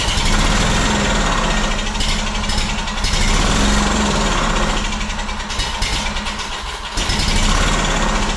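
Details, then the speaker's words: Honda two-cylinder engine that sat in a shed about 10 years, first start off a jug of gas after carb cleaner: uneven, surging run with dips, as if gasping for fuel. It doesn't seem to be getting fuel. "just about lost the gas truck but doesn't appear to be getting any fuel she should have sucked up gas running that long"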